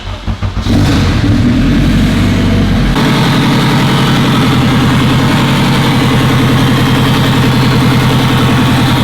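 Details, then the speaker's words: Turbo Honda Civic Si first start after map adjustments: engine catches after short crank, then a harsh rhythmic rubbing rasp over idle, first mistaken for a dry power steering pump; crank pulley rubbing the newly installed billet K-Tune timing chain tensioner cover. "It's actually the crank pulley rubbing on the K-Tune timing tension recover that I installed, the billet one."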